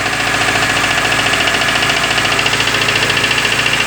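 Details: Renault Clio Sedan 2003 1.0 16V at raised idle: sharp metallic knock three to four times a second over rough engine hum; broken part causing false air intake, oil cap broken; mechanic suspects cylinder head must come off.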